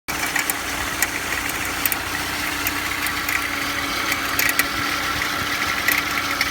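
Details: Engine at cold idle: steady idle with scattered sharp light ticks at uneven spacing; owner asks for help identifying an abnormal noise present when cold, source unknown.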